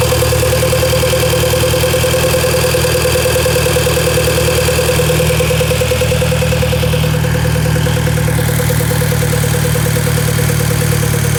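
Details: VW Golf MK5 GTI at idle: constant mid-pitched droning tone over the engine with a faint irregular pulse; owner asks if it is normal, cause unknown.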